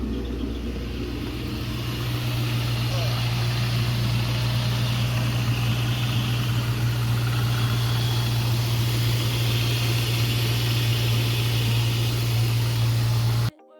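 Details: 1999 Ford Mustang GT after replacing the cylinder 3 coil pack and spark plug for a P0303 misfire: steady, even V8 idle with a firm low hum and no stumble; the misfire is fixed.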